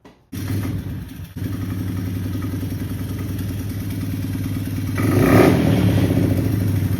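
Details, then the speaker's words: GPX/Pister Pro 110cc single-cylinder dirt bike after a carburetor cleaning, run on choke: chugs unevenly and lumpily at low revs with a brief blip and won't settle into a steady idle, even after an idle screw adjustment. "I'm gonna adjust the idle screw and see if that helps. It's still not quite wanting to idle."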